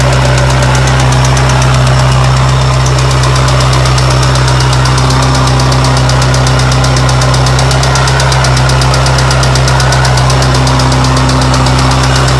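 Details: 1993 Mazda Miata at idle: sharp clacking about three to four times a second over a steady idle; owner unsure whether a failed hydraulic lash adjuster (HLA) or rod knock/bottom-end problem.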